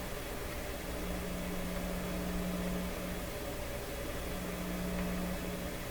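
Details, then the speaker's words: Seeburg SHFA1 stereo tube amplifier at first power-up, one channel tested: a faint low steady hum that swells and fades over hiss, appearing after a squeal and varying with the volume control; its source is not yet found. "when I did that and that squeal went through afterwards there's a new hum there's a new hum in town and it's volume dependent"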